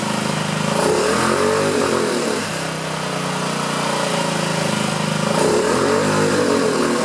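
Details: 2009 Honda Metropolitan scooter with a new carburetor, after carb cleaner was sprayed in: engine surges and sags as throttle opens, never picking up cleanly; running a little better, but a clog in the carburetor is suspected.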